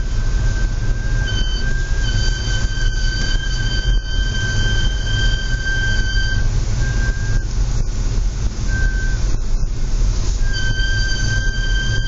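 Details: Audi S4 B8 while moving in low outside temperatures. An extreme, loud, steady high-pitched squeal holds over the low rolling rumble: brake squeal.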